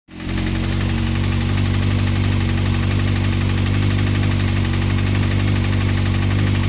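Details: Honda CBR engine running with a fast, deep rhythmic knock about four per second; suspected bottom-end knock, unconfirmed; advice is to stop running it and check connecting rods for play on the crank.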